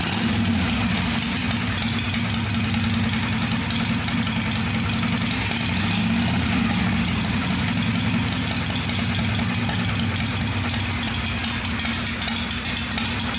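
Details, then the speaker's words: V-twin "little 81" at idle after a clean-up and tune-up, steady even lumpy thump with no tick or knock; earlier oil spew has stopped, owner says she's quiet and sounds good: normal idle. "So, but she's quiet. She sounds good. I can't wait to take it out for a ride."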